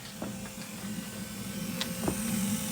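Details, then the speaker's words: 1975 Mercedes 280SL (R107) with D-Jetronic injection, ignition on after confirming 12 volts at the pump wires: the low-pressure Bosch fuel pump gives a low steady electric hum with a faint whine and light clicks, pumping normally. "And there it is, that's pumping fuel like a good one. How bizarre."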